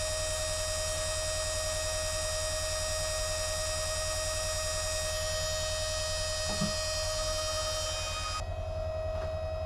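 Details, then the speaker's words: Harbor Freight Drummond 12V self-priming transfer pump (items 63324/63317, up to 320 GPH) switched on to pick up ditch water through its screen and bleed the line: steady electric hum with an even whine; running healthy. "So, and I'll just go ahead and turn it on. Let it pick up the water."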